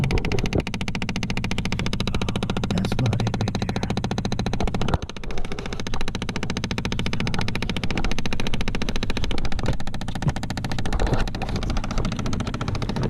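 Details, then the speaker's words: Chevy Impala/Malibu, clicking behind the dash: rapid steady clicking, several per second over low hum; suspected failed HVAC air door actuator, replaced. "okay I think I think I know what it is I think it's the air door actuator for the a seat"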